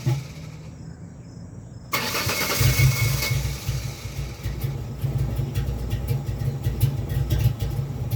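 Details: 2001 Ford Ranger XLT 4.0 V6 cranks with a steady chugging rhythm but won't start, a problem only in the morning. Many fuel and ignition parts and the crank/cam sensors were replaced; fuel pressure and compression were checked; cause not found.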